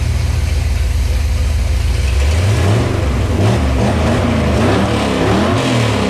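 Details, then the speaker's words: Small-block Chevy 400 cubic inch V8 with mild cam, just fitted with a bolt-on throttle body EFI replacing the carb, warm idle set at 750 rpm, 13 AFR, 11 inHg vacuum; deep lumpy burble revs cleanly through blips with no misses; healthy running. "God this sounds rowdy [Music] I gotta give you a clip of the exhaust though that is awesome"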